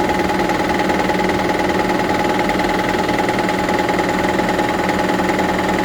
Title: Toyota Prius 2009 Gen 2 Engine Noise. Noise after Engine swap. What is this?